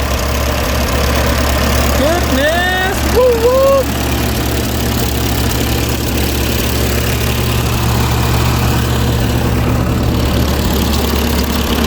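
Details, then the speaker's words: Ferguson TO20 tractor that sat three to five years: steady, even low idle with a firm beat and no misses or knocks. "woo that's awesome we're going to let this run for a little bit then we'll get stuff cleaned up"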